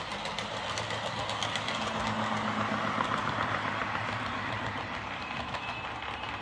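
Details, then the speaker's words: Lima Eurosprinter model locomotive after curing its screeching, running on the layout: even growling motor hum with light regular track ticks, no stutter or grind; super smooth thanks to its weight. "Well, there we are. That's this Lima Eurosprinter running really well now. Very well, actually. You know, it's super smooth, which is due to its weight."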